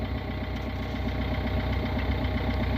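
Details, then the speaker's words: 2002 Renault Clio diesel started after three years parked, jump-started, running about 5 minutes: steady even diesel clatter at idle, regular low beat, no odd knocks; normal idle. "it's been running about 5 minutes now doesn't sound like there's anything wrong it sounds like it's usual clattery cell"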